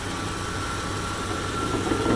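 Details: 1995 Chevy Suburban after its exhaust leak was repaired: quiet steady idle with a smooth low hum and a faint even tone, no puffing or ticking; normal idle.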